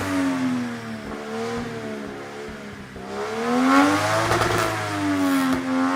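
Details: Mazda RX-8 with 1JZ-GTE VVTi swap, after installing a Spitronics Mercury 2 ECU: engine revs up and bounces against the rev limiter, note wavering and stuttering unevenly at the top; misfire, not sounding healthy, cause suspected not confirmed.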